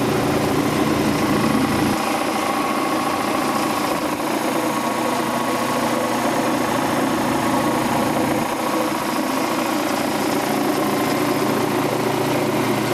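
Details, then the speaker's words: Quincy Model 325 air compressor pump, lower end rebuilt, on tank test run with newly mounted and wired starter; oil pressure 18–20 psi. Steady, even chuffing at constant speed with no knocks or rattles; normal running. "Alright, got the pump on the tank, got the new starter mounted and wired, and give her the old test run. Oil pressure on 18 to 20 pounds."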